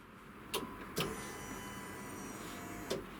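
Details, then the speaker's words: Toyota 1JZ turbo engine just refitted to the car, ignition switched on for the first time after a full teardown. A relay click, then a thin steady two-second whine ending in a click as the fuel pumps prime normally, no leaks found. "c'est bon signe, les pompes s'amorcent. Enlève, remets. Pour amorcer."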